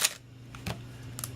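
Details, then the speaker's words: Canon AE-1 Program 35mm SLR with Canon FD 50mm f/1.8 lens; one crisp snap with a quick mirror slap at a mid shutter speed, clean and even, the shutter firing properly. "so what we have here now is a camera ready to go and there we heard the shutter working"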